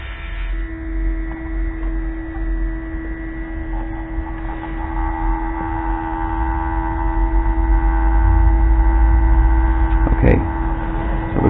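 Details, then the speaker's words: Mercedes W463 G-Wagon multicontour seat air pump, key on: steady, unbroken pump hum that never cycles off because a disconnected air-line nipple bleeds seat pressure, so the pump senses a constant pressure loss and keeps blowing air. "okay so I plugged it in and turn the key on and now apparently it's just running so it's sensing a need for pressure from something it's blowing air"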